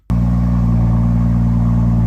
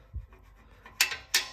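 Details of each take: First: BMW F-series car after fixing a rattling exhaust: deep, steady engine note with a smooth drone and no rattle or buzz from the back box; the exhaust sounds healthy. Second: BMW F-series exhaust, flap actuator removed with broken clip: few sharp metallic clacks as the flap is moved by hand; loose exhaust flap rattles.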